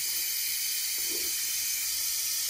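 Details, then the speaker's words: BMW N20 2.0T turbo boost-leak test with a special adapter: a loud, steady, high-pitched hiss from the charge pipe, a bad boost leak. Probably the single-use O-rings, but the charge-pipe seams are being checked for cracks. "all right this is a bad leak you hear it foreign so I gotta make sure it's not cracked but it's probably the O-rings in there"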